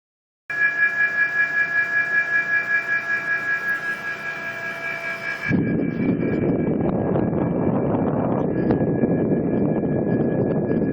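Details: Mitsubishi Mr. Slim mini-split indoor unit: steady high whine with faint wavering pulse, then airflow rush underneath; owner suspects the motor, not confirmed.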